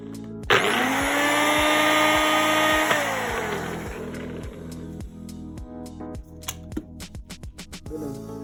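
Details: Nutribullet blender after replacing the two worn blade-assembly bearings that had caused a loud noise: motor spins up to a smooth, steady whine, runs evenly, then winds down.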